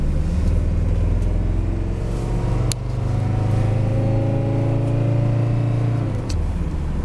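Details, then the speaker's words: 1980 Mercedes 300 CD diesel coupe, warmed up, driving in rain, floored: engine hum climbs, drops briefly at each gear change; firm, clean automatic upshifts with no slip. Normal shifting under acceleration. "you can hear it hopefully shifting through the gears. You can hear that little Mercedes motor humming. When you floor it, it gets moving, gets on its way, shifts nice and firm."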